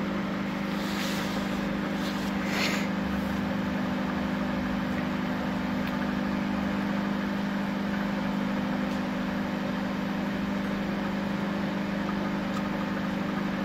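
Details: Panasonic microwave that switched on but did not heat, after a new magnetron was fitted, heating a glass of cold water: steady, even hum with a constant low buzz and no crackling or arcing; normal operation.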